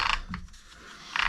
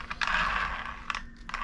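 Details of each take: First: Arrma Infraction Mega, originally brushed, being converted to the factory 3S Spektrum ESC and motor: short rattling ratchety gear noise as the drivetrain is turned by hand, but it turns freely; owner suspects the gear cut (0.8 mod). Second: Arrma Infraction Mega RC car with brushless conversion, drivetrain spun by hand: light gear whir with soft ratchety clicks, rolls freely; front slightly tighter than rear.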